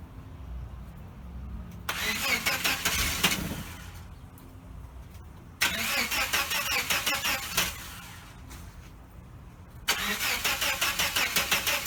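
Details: 1989 Chevrolet S10 Blazer, after everything was reconnected: three bursts of fast, even cranking about three beats per second, never catching; owner wonders about needing new cords, cause unknown.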